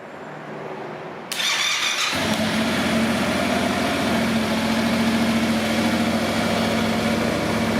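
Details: Wrecked Yamaha MT-07, long on its side, first start after refitting tank: starter whirs briefly, twin fires and settles into steady, even idle, no misfire or knock; check engine light on. Normal start and idle.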